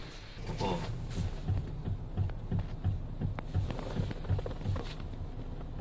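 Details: Low, uneven thumps and creaks at about three a second as the steering wheel is turned left or right at a standstill on a Mitsubishi Xpander. The noise persisted despite underbody parts being replaced. Strut mount clunk.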